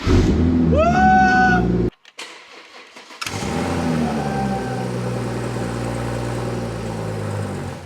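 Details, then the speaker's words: BMW 114i converted with M140i engine, first start attempt after swap: starter whirs with rising whine, brief rough catch then dies; owner reckons fuel system not primed, only residual petrol fired; no start. "okay all right so it CAU I reckon that's because it's not primed so that's probably like a little bit of residual petrol that was in the engine already"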